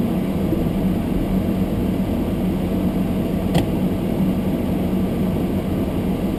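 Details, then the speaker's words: Almost-new Toyota Prius hybrid in sub-zero weather, windows fogged: demister fan run high on windscreen gives steady rush of air with faint constant hum, no ticking or scraping; camera close makes it seem louder; normal blower. "That noise wasn't really so horrible in the car. That was the demister on the windscreen, the fans blowing on the windscreen, and the camera was really close, so it made it sound a lot noisier than what it was."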